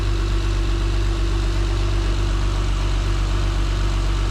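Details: Acura TL V6 just started after installing RL cams and P2R runners and spacer: smooth steady low idle with even beat, no ticking or tapping; healthy, idle may need relearning via battery reset.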